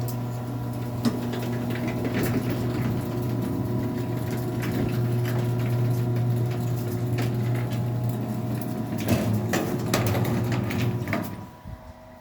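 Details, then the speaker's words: Stanley Standard garage door opener on 6x7 Sears pan door, running: loud buzzing hum with rattly vibration, stopping when motor shuts off; cracked front cover along bottom, suspected from old age, leaves a gap that vibrates. "So there's some space between there, and because of that, it just vibrates really bad."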